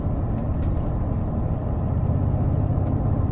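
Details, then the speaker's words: BMW E31 cruising in fifth gear with a tiny bit of throttle. A heavy rumble through the cabin swells as throttle is applied. Suspected drivetrain or propshaft fault (torque converter, gearbox mounts, guibo, U-joint, centre mount or CV joint), not confirmed. "and there it was a huge ramble through the car yeah it's very very noticeable from where i am"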